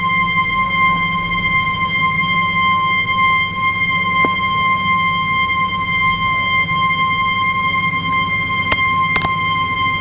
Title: Abnormal Sound of Ball Float Valve-20101022